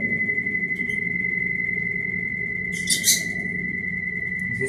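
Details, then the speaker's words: Brastemp Ative 11 kg BWL11 washing machine spinning washed rugs: a steady high-pitched whistle holds right through the spin over a low drum rumble; the source is not yet known. "Olha o barulho. Ela tá centrifugando os tapetes que eu lavei."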